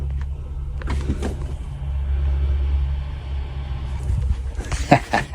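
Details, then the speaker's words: Electric water heater after replacing the burnt-out, split upper element and reassembling the elements and thermostats, tank refilled and breaker switched on; listening at the tank side, a low, steady rumble with faint crackling as it heats: normal element heating. "Last but not least, let's fire the breaker up and listen to the side of that to see if we can hear it heating. Oh, she's"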